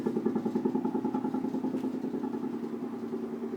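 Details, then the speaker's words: Apartment bathroom sink drain, AC set around 76–78°F: low steady drone pulsing about three times a second, heard from a distance and louder up close; occurs only when the air conditioning runs, exact cause unclear. "so basically that's it that's where the sound comes from only when the AC is on"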